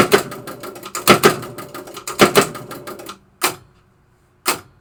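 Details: 1973 Williams Travel Time pinball machine, clock pulse unit with capacitor replaced, potentiometer turned to its fastest speed: crisp mechanical ticks in quick pairs roughly every second, then trailing off.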